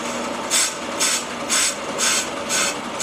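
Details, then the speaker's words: Willys CJ5 brake drum on brake lathe, first light pass: sharp scraping bursts about twice a second with quiet gaps, cutter only cuts part of each turn; drum out of round or hollow in center. "now we were cutting at the beginning and we quickly stopped cutting I like to let the first one go all the way um sometimes they're Hollow in the center and then when that comes to the end it'll start cutting again"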